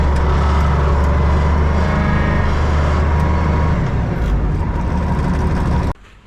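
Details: Diesel loader running after hydraulic hose reconnected and oil refilled, wheel turned to bleed air: steady rumble dipping slightly under load midway then recovering, no hydraulic whine; running healthy, repair done.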